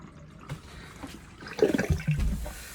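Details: Motorhome sink after replacing the basin plug, which held water 20 minutes without leaking, then pushed down to release: water gurgles away quickly and goes quiet. The basin drains freely.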